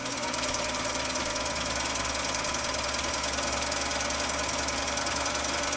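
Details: Husqvarna Viking 6430 sewing machine, which previously only hummed, now running after internal cleaning: steady, even whirr with light rapid ticking, no hum or stall; normal running.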